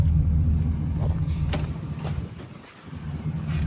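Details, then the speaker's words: Used 4x4 2500 pickup with 6.0 diesel, 174,000 miles, known power steering leak; deep steady idle rumble, even beat, no misses or stumbles, not seen burning oil, a normal healthy idle. "Doesn't look like it's burning oil. Sounds good."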